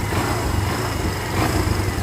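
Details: 2024 Barako 2 motorcycle single after valve clearance adjustment and carburetor tuning, formerly hard-starting: steady, even idle with no misfires or hunting; healthy idle.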